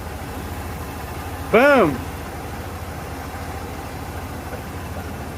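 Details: 1992 Ford Bronco 5.0 302 V8 after harmonic balancer and water pump replacement: steady, even low idle with no shake or stumble, one brief chirp over the top; the earlier shaking was the failed harmonic balancer, not a misfire; normal idle.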